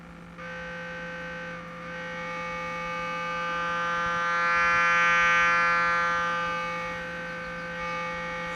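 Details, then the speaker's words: 1968 Sears Silvertone console stereo amp fed a test tone, scope on the interstage transformer primary: the tone turns harsh and fuzzy as level rises, clean when it drops. The output clips at about 4.96 V peak-to-peak, before the driver stage; owner unsure whether output transistors or biasing are at fault. "And you can hear the output starts clipping before the the um interstage transformer the driver does."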